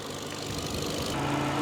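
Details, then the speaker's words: Ford Fiesta with suspected blown head gasket treated with Steel Seal, hot idle: even idle then steady whirr swells in as radiator fans kick on at 105 °C, temperature dropping to 99; normal fan switching, no coolant overflow. "and there we are, guys. The fans are kicking in. We're 105 degrees on the diagnostic."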